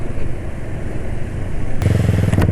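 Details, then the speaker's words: Engine about 3 km into a drive on 9Circle oil. It gives a deep, uneven, lumpy drone with worsening vibration and lower performance. Running rough; the owner suspects the oil and its additive no longer protect, cause unconfirmed. "Maksudnya ya suara mesin sudah mulai makin kasar ya"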